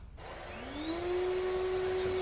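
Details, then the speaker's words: Yeedi robot vacuum running in Max mode that has stopped vacuuming: a thin whine climbs quickly and holds a high pitch for about 2 seconds, then the suction motor cuts out completely; cause unknown. "high pitch one right now and now it died so you can hear that the vacuum started for like 2 seconds and then it completely died"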